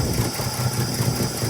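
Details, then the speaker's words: Old truck that sat for years, with a rebuilt Carter downdraft carburetor, cold start at about 8 degrees on a little choke: it fired first try into a slightly fast, even idle with no knocking. Normal cold idle. "It's about 8 degrees outside right now. A little bit of choke, and she fired up on the first"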